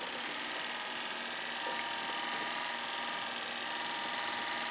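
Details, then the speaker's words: Refurbished classic-car windshield wiper motor bench-tested on a power supply at only 2 amps. Even, high-pitched electric whir at constant speed with no grinding or clicking; the motor spins freely and runs normally. "All right, well, I got lucky there. So again, this is running at only 2 amps."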